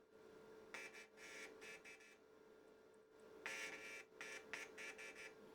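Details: DIY test speaker on a car audio amp's front-channel speaker output, amp stripped to power and ground with a jumper for turn-on and crossovers off; touching the white RCA input gives irregular buzz bursts, so this channel passes signal.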